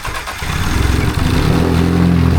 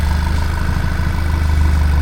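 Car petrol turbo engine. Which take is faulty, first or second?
first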